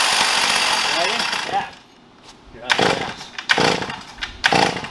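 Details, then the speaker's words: Stihl MS460 Magnum chainsaw with poorly ported cylinder and expansion pipe on a dyno, long slow loaded run; screams under load, then falls off and sputters with dead gaps as it runs out of fuel. "to say this you're out of gas yeah that's what it sounds like"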